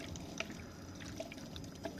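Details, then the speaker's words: Toyota Prius 20 after inverter coolant pump replacement for code P0A93: steady trickling and bubbling of coolant returning into the reservoir, with drips about once a second, like a washing-machine pump; normal circulation. "Видите вот это правильная работа вот такой звук должен быть грубо говоря это помпочка напоминает мне работу насоса стиральной машинки"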